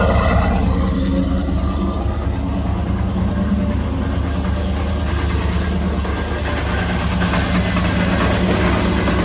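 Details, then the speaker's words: Cadillac Escalade V8 with LS9 camshaft, VVT delete and long-tube headers, idling at morning start: uneven tapping about three per second over deep rumble; mystery noise, owner suspects cracked flex plate or starter contacting it. "thank you still have this noise all right so unfortunately we still have a mystery noise which I think at this point I have determined is the flex plate apparently it's a semi-common issue uh flexplate cracks the starter can be bumping into the flex plate"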